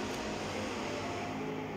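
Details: Cooler Master Q500L case after removing a case foot that hit a loose fan: steady, even fan whoosh with faint hum, no ticking or scraping; fans running cleanly.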